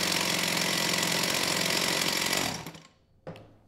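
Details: STIHL 028 AV Super chainsaw, rebuilt with non-OEM parts after straight gas burned the engine; at high idle, choke off, raspy buzz holds briefly then sags and dies with one catch, poor response off idle; unstable idle, crankcase air leak.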